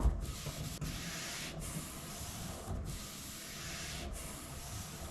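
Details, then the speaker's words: Toyota 80 Series LandCruiser after tightening the rear wiper's 10 mm bolts: soft rubbing swish with a brief pause each reversal, rear wiper sweeping normally; rear washer still not spraying. "So, that works pretty well."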